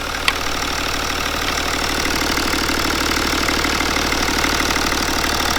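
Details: BMW N57 diesel, first start after timing chain and main bearing replacement, battery being boosted, fuel system bled: a steady, even diesel clatter at idle with no knocks or misses. It runs smooth, with no leaks.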